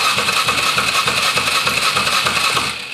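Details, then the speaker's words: 2007 Polaris Sportsman 450 with an aftermarket carb cranking with the fuel line off the carb: steady starter churn at about three compressions a second with no firing. The fuel pump only dribbles despite plenty of fuel, a crank no-start fuel issue. "Which it's not. Dribbling a little bit."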